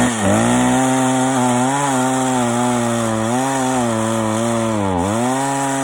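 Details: Stihl 041 AV chainsaw after rebuild (previously overheated and shut off after 10 minutes, badly scored piston), freshly ground chain with rakers taken down far; strong clean high tone sags slightly as chain bites knotty ash, recovers quickly; normal running under load.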